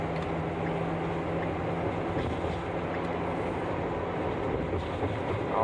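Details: Ford V10 truck on the freeway, in-cab; steady low road rumble with no squeak, whistle or wind noise.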